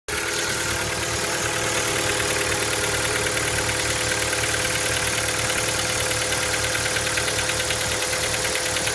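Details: Hyundai Elantra MD 1.6 at cold idle: a quick, fairly even tap about three times a second over the engine note, a cold-start knock.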